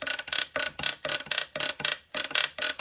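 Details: Hart Parr 18-36 tractor oiler cranked by hand, not running: crisp, even clicking in short groups about twice a second, no grinding or binding; each pump lifts oil and drips it into its cup, all pumps working; normal operation.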